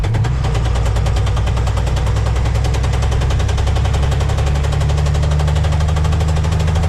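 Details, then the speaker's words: 1990 International 4700 diesel, Spicer ES42-5D 5-speed: rapid heavy metallic knock, about nine hits a second, in low gears, disappearing in fifth, unaffected by two-speed rear; missing teeth on countershaft drive gear, before repair. "That knock sounds pretty bad, but watch. I'll put it in fifth gear and it'll completely disappear."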